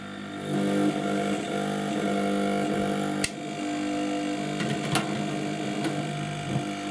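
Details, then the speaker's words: 852D+ SMD hot-air rework station: steady low buzzing hum with a rough edge as air speed is raised; loud air pump with no vibration damping. "it's it's quite noisy and i was expecting it to be more like a fan inside that puts air through the um through the nozzle but it seems more like it's a pump"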